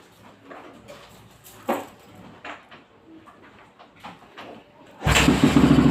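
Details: 450cc big bike with hard starting: quiet workshop, then rapid churning about three to four beats per second as the single is cranked hard.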